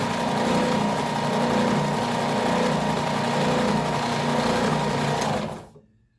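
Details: New Ridgid oscillating belt/spindle sander, out of the box, running after belt tracking adjustment: even motor buzz with a steady mid hum and light rhythmic oscillation, no rubbing or grinding, clean spin-down; normal running.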